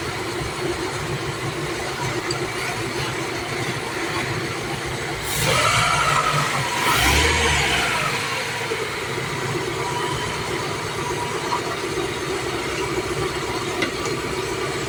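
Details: Toyota Corolla that cranked but would not start, fixed after an unconnected relay was found: cranks, catches with a brief surge, settles into a steady even idle with no misses; normal idle.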